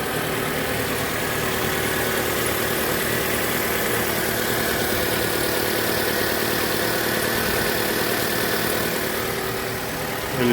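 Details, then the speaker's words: Mitsubishi Lancer X 2.0 with CVT, cold idle: faint steady high squeal near the alternator belt, only when cold; rollers and belt were already replaced without effect, and the mechanic suspects the alternator bearings. "проблема такая писк ремня генератора будем диагностировать искать проблему пищи не сильно пишет только на холодных"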